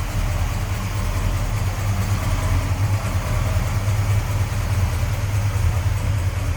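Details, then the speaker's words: 1967 Dodge Coronet R/T, stock 440 V8 (believed rated 375 hp) with 727 automatic, factory AC, heard at engine bay: deep even rumble, steady beat, no knocks, ticks or stumbles; smooth normal idle. "Smooth runner, sounds good. With Mopar horsepower, 375, I believe these were rated back in '67."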